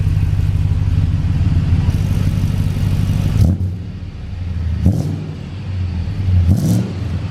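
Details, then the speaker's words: 2006 Chevy Express van with 340,000 miles, shorty headers, catless, Magnaflow muffler, fitted after a bad exhaust leak, not yet warm: deep, even V8 rumble at idle with a couple of light throttle blips, fairly quiet, no ticking or puffing. Normal idle. "this thing sounds cool it is a little on the quieter side I'm gonna have to give it a little RPM in a second"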